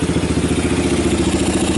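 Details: 1990 Kawasaki Bayou 220 ATV single-cylinder after cold start, carb replaced, good compression; even putt at about ten beats a second, steady and smooth, no knocks or misses, a little smoke. Normal idle.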